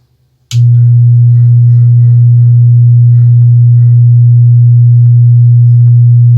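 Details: Wordstar WBL 160 Plus active speaker: loud steady low hum from power-on that never changes; one amplifier output IC found shorted, heating rapidly while the other stayed cool.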